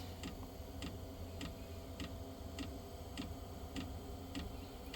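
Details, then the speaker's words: Diesel heater that quit again after a week: even ticks of about 100 a minute over a low hum as the fuel pump pulses and it tries to relight. It seems to attempt to start twice, with the pause to recycle apparently killing it; the owner suspects biodiesel gumming the pump and over-fueling it. "I think basically what it does is it attempts to start two different times the problem is that it's pausing in between is what kills it it was already on but it paused and went to go recycle and that stopped it"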